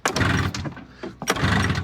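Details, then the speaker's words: Snowmobile engine warmed with a known good CDI, then fitted with a 144 CDI box: two recoil pulls, each a brief churning crank with no firing; won't start, faulty CDI. "This might be a dead CDI though. And just like that, we've determined this is a dead CDI."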